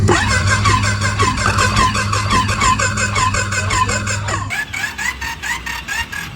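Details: Triumph Daytona 955i, reportedly about 29,000 km, engine not locked up after an earlier clunk: starter spins the engine with an even whirring beat, no clunks or binding; cranking sounds normal, owner suspects the clunk was elsewhere, maybe the clutch.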